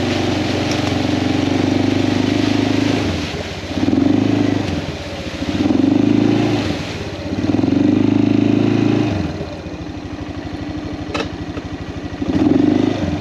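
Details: Kawasaki Prairie 400 single-cylinder ATV after engine rebuild, on a test ride, camera on magnetic base: thump rises and falls cleanly through throttle blips, no misfires; runs fantastic; carburetor float still needs adjusting; normal running.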